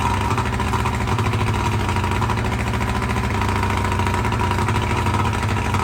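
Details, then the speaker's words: 1995 Johnson 70 hp outboard, cold start after new CDI spark control unit, plug wires and spark plugs: steady even idle with smooth low burble, no misses. Normal idle. "everything is new and it runs great I tried it out last night"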